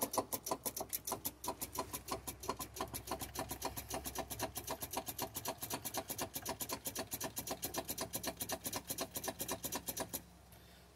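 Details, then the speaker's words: Volvo VNL with Cummins ISX that won't start despite battery voltage: rapid dry starter solenoid clicks, about six a second, with no cranking; owner suspects the starter needs replacing. Starter solenoid clicking, no crank. "I can hear that starter solenoid down there bumping by my foot sound"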